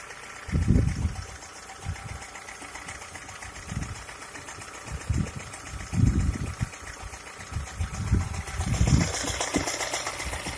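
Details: Skoda A5 1.6 MPI at low idle: uneven heavy knocks every second or two; engine knock of unclear source.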